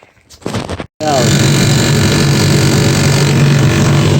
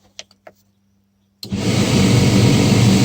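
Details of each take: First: John Deere 2054D excavator cab blower with a used replacement motor, running at maximum speed because the blower resistor has failed: even steady fan rush and low hum, no rattle; normal blower operation. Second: John Deere 2054D excavator cab blower after fitting a used replacement motor, running only at maximum speed because the blower resistor has failed; loud steady rush with a fast uneven rattle, later cured by adding a seal/washer; blower motor rattle.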